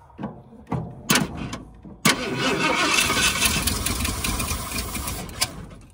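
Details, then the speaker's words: 1978 Ford Bronco Ranger XLT with a 400 engine, sat 20+ years. It cranks, coughs and fires, then runs ragged with a faint high whistle and backfires through the coil; rough running, suspected timing slightly off. "Backfires through the coil. may have a timing issue just a little bit."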